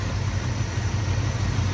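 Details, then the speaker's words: 1964 Dodge Dart GT V8 with rebuilt carburetor, new accelerator pump, idle reset and timing set: uneven loping idle, fine off idle; owner suspects a vacuum leak at the intake gasket. Rough idle. "You can just tell it doesn't idle happy, never did, but sounds great everywhere off idle. You kind of hear it settle down there. I almost suspect there's a vacuum leak."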